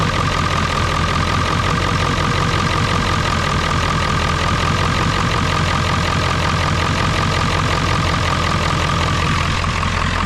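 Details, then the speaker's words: Ford 7.3 Powerstroke diesel, hard starting below 50°F, cold morning start after glow plug relay replacement: fires up and settles into a steady even idle, smooth clatter, no misfire; bad relay was the cause. "all right that's up and running good so I'm glad that was the problem was that glow plug relay"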